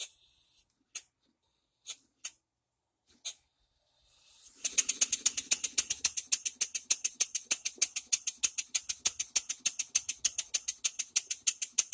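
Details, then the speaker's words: One-off bar stock model engine on compressed air after crosshead machining, new bearings, reamed cylinder, new piston with silicone ring and valve timing: slow turns rising to crisp even puffs about 200 a minute, earlier knock gone, small inlet air leak; normal running. "I don't hear the knock that we had before we still had to adjust our timing"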